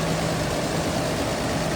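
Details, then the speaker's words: 1987 Toyota Land Cruiser 4x4, 4.2 L inline six with Weber carb, manual transmission, heard in the engine bay: low, even rumble at steady idle with no knocks, ticks or hunting; smooth, normal idle. "In power steering, power brakes, AC's cold, 4.2 liter inline six,"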